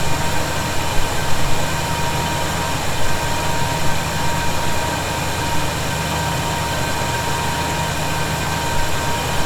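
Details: 1971 Chevy C10 V8, cold start idle after snugging up loose bolts suspected of a noise: steady low even rumble, no whistle or hiss; owner thinks tightening may have been the answer; normal idle.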